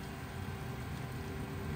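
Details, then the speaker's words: Newly installed 48V VEVOR three-phase solar pool pump, replacing the failed original, on a partly cloudy day so below full power: a smooth, even low hum with no knocks or rattles while it pumps water normally. "and this is on a uh partly cloudy day too so it's not even going to run at full power but it's pumping water"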